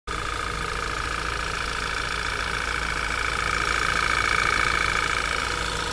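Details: Audi 2.0 TFSI cold idle, two minutes after start: a fast steady ticking rides over the engine with a high whistly tone on top. Source unclear, needs checking.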